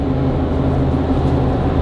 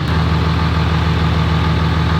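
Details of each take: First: Mercedes G56 manual transmission with South Bend dual disc clutch, previously loud, after switching to Hot Shot's Secret Diamond G56 fluid: steady, even drivetrain drone under way with no whine, clunk or grinding; shifting less notchy, smoother. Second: Diesel truck with a Mercedes G56 manual gearbox and South Bend dual-disc clutch on factory ATF, before changing to Hot Shot's Secret Diamond G56 fluid. Loud, steady idle with a constant low clattering rattle: noisy gearbox, gear rattle at idle.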